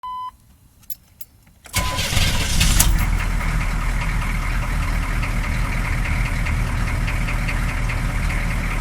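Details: 6.2L diesel with a short chime then crank, catching into an uneven, lumpy idle; clear vinyl line between fuel filter and injector pump shows air in the fuel from a leak, blamed on cracked rubber fuel lines, lift pump believed fine.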